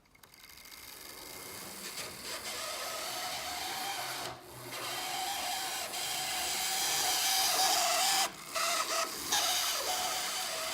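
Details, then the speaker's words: Roughly 40-year-old Hornby Class 37 DC model locomotive running at high speed: a steady, piercing motor whine with hiss. Owner suspects it just needs oil and lubrication. "So as you can hear, at high speed there's quite a distinctive whine. I've had a quick look online, and it seems like this is quite a common problem for the old Hornby locos,"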